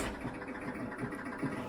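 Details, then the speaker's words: Gottlieb Bronco electromechanical pinball machine powered up with start button pressed: soft steady motor whir with a repeating clatter roughly every quarter second; the selector keeps turning and does not stop. "On l'entend, il tourne. Le sélecteur ne s'arrête pas."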